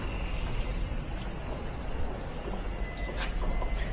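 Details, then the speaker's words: GE top-load washer that beeped twice and stopped after filling, now with a replacement motor (old one failed, rusty), agitating its load normally: steady low churning and water sloshing, no beeping. "yeah it's working fine that motor is turning that load just like it's supposed to"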